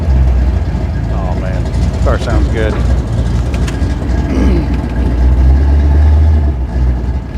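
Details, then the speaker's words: Car from 1969 Plymouth Road Runner/Barracuda engine-swap project, possibly weak battery, started right up: deep, even V8 burble, steady low rumble, no ticking or misses; normal idle. "all right baby princess started right up didn't"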